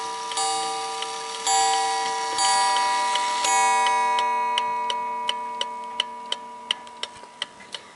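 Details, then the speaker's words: 1881 Ansonia open-escapement marble mantel clock: four mellow, subdued gong blows a second apart over steady ticking, fading to a clean tick. An even, healthy hour strike. "It's a very mellow chime, which I like. Once on the half hour. Rather subdued, which I like."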